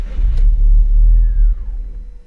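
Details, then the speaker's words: Audi TT MK1, petrol, with an intermittent fault of several months: engine catches with a deep rumble, runs about a second and dies; fuel pump heard running, owner suspects a tired fuel pump, cause unknown. "elle démarre et elle ressemble quasiment tout de suite"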